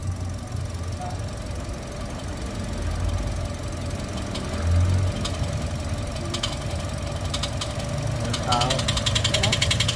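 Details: Toyota 1NR-FE engine with a noise problem: a light, quick tick, roughly three or four a second, rides over the steady idle; top-end tick, cause unconfirmed, before teardown.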